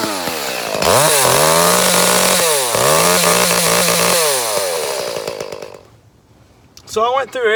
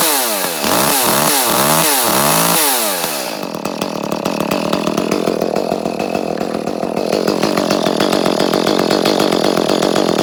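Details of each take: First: Echo CS 310 chainsaw, about six or seven years old, running poorly for months and progressively worse despite new air and fuel filters: two-stroke screams to high revs then abruptly cuts out and dies; high-rev cut-out. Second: Echo CS-310 chainsaw, about six or seven years old, after a new spark plug cured top-end cutting out; a few sharp revs, then a strong even buzz holding speed in a cut; runs healthy.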